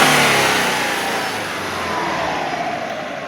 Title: Subaru Legacy BL5 Engine Knock